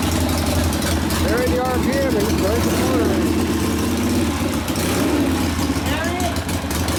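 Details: Rebuilt 1972 Harley Sportster XLCH Ironhead after case repair, restarted with air cleaner refitted, good oil pressure: steady, even V-twin idle slightly fast, crisp and regular, no knocks or misses; idle to be lowered after break-in; normal idle.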